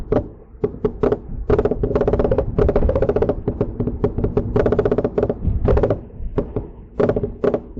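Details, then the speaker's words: Mercedes-Benz C300 after front CV axles, wheel bearings and front brakes were replaced, microphone in back seat: irregular hollow knocks and clunks from the rear while driving; new rear clunk, source not yet found, possibly something loose. "All right. So, that is what I have been hearing. Um, again, I got to pull it in, take a look around, and see what is loose or what's going on in the rear. Where that noise is coming from."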